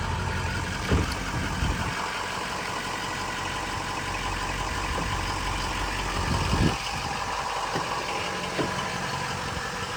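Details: Bulletproofed, head-studded 6.0 diesel truck with new engine and transmission: steady, even idle clatter with no knock or miss, a few handling bumps; healthy idle.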